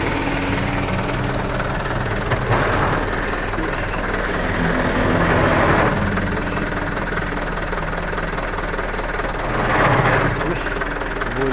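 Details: Canter truck manual transmission checked raised before teardown: rough gravelly growl over the running engine, pointing to a worn rear gearbox bearing.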